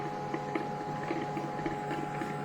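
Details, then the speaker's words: Brother MFC-9440CN laser printer with a rear jam, after cleaning up parts: steady mechanical hum with irregular clicks and ticks while printing; running rough, cause not yet found. "let's see what we get good oh I can print it oh it doesn't sound good at all hear that"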